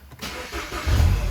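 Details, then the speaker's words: 2011 Mini Cooper Clubman with 34 trouble codes, check engine and traction control lights on: engine cranks and catches, then settles into an uneven low rumble right after start-up; running rough, cause unknown. "traction control light you kind of hear the the rough running of the vehicle"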